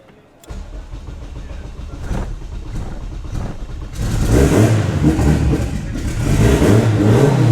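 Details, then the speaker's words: Built Civic race engine on the dyno during tuning setup, first start attempting to idle: catches after a crank, runs lumpy and flat, revs sluggish and uneven; ignition timing retarded, needs syncing (ignition angle then locked at 16 degrees). "So we're gonna need, you can hear it right now, it's retarded, so we're gonna need to sync it."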